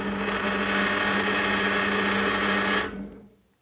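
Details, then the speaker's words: Parkside PTBM 500 E5 bench drill press (2019), first run straight out of the box without adjustment: loud, rough motor hum with buzzing drone and clatter; slack drive belt, fixed by tensioning the motor with its lever. "کاملا پر سر و صدا است خوب نیست سپس، دلیل یکی است."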